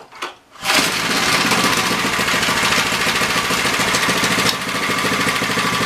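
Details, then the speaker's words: MTD edger with 3 hp Briggs & Stratton engine, after fresh oil and throttle spring bent for tension: fires after a quiet pull, runs at a steady buzzy fast rattle without stalling; running properly. "but i think it's pretty good"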